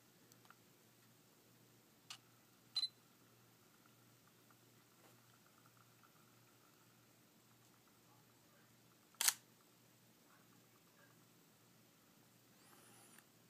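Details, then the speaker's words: Sony SEL35f18 lens on a NEX-7 camera, microphone close: short, sharp whirring grinds from the aperture on power on and off, over a faint steady OSS stabilizer hum that is normal. This aperture is far louder than on the 18-55 kit lens. "it's normal to hear the OSS working like here I'll get the microphone close to the camera it's kind of a constantly but this aperture"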